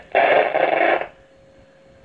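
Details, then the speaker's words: 1937 Zenith radio Model 6-S-256 during restoration, first power-up with no dial belt fitted and speaker untested: about a second of harsh crackling static, then a quiet steady hum; tubes light and the speaker works. "Oh yeah, you can hear a bit of static now. There it is. So that's a good sign. Oh, crackly."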